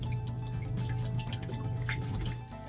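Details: Idling engine on a boat after a new exhaust elbow was installed: low steady drone with irregular splashing drips as water leaks along the entire heat exchanger edge. Salt water believed to have entered and ruined the heat exchanger.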